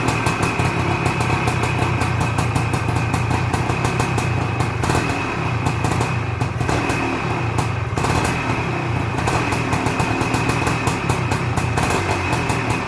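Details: 1978 Suzuki PE250 two-stroke after year-and-a-half rebuild, first cold start: rapid crackling putter holding a fairly steady idle with no knocking or dying out; normal idle.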